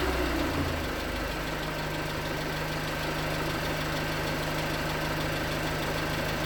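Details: 2019 Hyundai Tucson 2.0L GDI Nu, 24,000 miles, cold idle on Mobil1 5W-20: hollow light knock around three per second riding on the engine beat, suspected piston slap; switching to 5W-30 later only slightly improved it.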